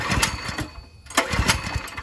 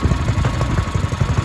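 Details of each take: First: Ryobi 3100 PSI pressure washer, 212 cc engine, choke on, fuel open, yellowish fuel: seven rhythmic pull-start attempts, engine coughing but never catching; hard starting from a clogged carburetor. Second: Ryobi 3100 psi pressure washer with a 212cc single-cylinder engine, carburetor cleaned, throttle set manually: the engine runs with a steady, even chug and no knocks or misses, sounding healthy after repair.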